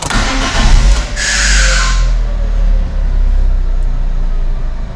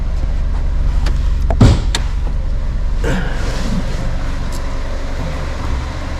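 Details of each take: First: 2009 Ford Ka, a Copart category N salvage car, being inspected on delivery. About a second of harsh, uneven cranking comes before the engine catches and settles to a steady rumble. The owner believes the starter motor is worn and needs replacing; this is not confirmed. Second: 2009 Ford Ka, a Copart category N salvage car with no service history, inspected on delivery with the AC off. A low, smooth, even idle hum has one thump from handling and no ticks or blowing. Normal idle.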